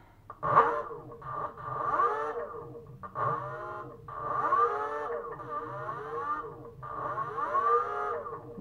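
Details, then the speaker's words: BLDC 6384 140kv motor on e-bike controller C1 after learning-wire sync, hall sensors plugged back in: whine sweeps up and down in bursts with an uneven rough note; runs roughly and then found not working, wire sequence suspected. "good a little bit rough there I'm not sure if it's okay doesn't look like doesn't sound it's okay let's see"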